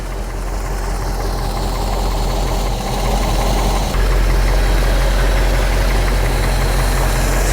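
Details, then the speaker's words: Mercedes-Benz classic with worn subframe bushings and oil leak, just started: steady low even hum rising slightly as it settles, no smoke, misses or knocks; smooth quiet normal idle. "And this car is idling smooth. It doesn't smoke. It's pretty quiet."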